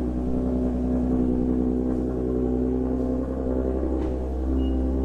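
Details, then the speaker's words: Engine with a 3-inch intake after fitting an EPS PCV delete kit: steady, even idle with a low smooth drone and no crankcase vacuum, sucking or hissing; engine sounds healthy. "look at that no more vacuum it's not sucking it back in but again nothing"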